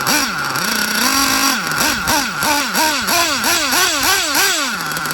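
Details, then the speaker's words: Hobao Hyper VT 1/8 nitro GT RC car after leaks and problems were fixed: crisp high-pitched nitro engine revving up and down repeatedly with throttle, no misfire or sputter; brakes good, 2-speed not heard; normal running. "Whoa, it's going lovely now. Brakes are good."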